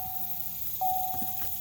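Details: 2005 Corvette, key fob present, start attempted: a steady mid-pitched chime sounds but no crank follows and the car won't start; owner suspects the common broken steering column lock and plans to install a bypass, not confirmed.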